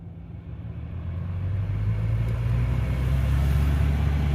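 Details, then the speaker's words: 2013 Chevy Cruze cabin blower: deep rising jet-engine-like roar with no or restricted airflow; cabin air filter plugged by a rodent nest; blower stayed noisy after clearing and was replaced. "don't know if the camera can pick up that sound but it sounds almost like a jet engine"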